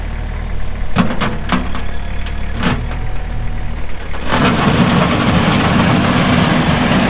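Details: Kubota M6800 tractor (2004), pre-emissions diesel, 1,181 hours, 4WD with LA1002 loader: a few sharp clicks, then the engine catches and settles into an even, steady run with no knocks or misses; healthy normal running.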